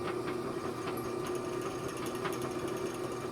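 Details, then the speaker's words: Old Rockwell Delta drill press before repair: light motor whirr with a quick irregular ticking rattle from the friction-fit chuck wobbling on its shaft; severe chuck runout rattle. "hear that so the run out is awful let's fix it"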